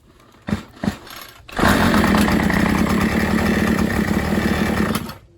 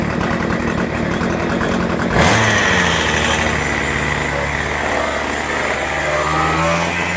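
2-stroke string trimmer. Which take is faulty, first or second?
first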